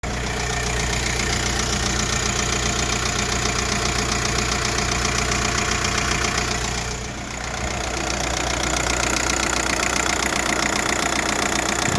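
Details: 1.9 TDI ASZ diesel idling with a steady knock about two to three times a second, heard through the driver's side wheel well, not with bonnet open; pulleys except crank, timing kit and dual-mass flywheel recently replaced; cause unknown.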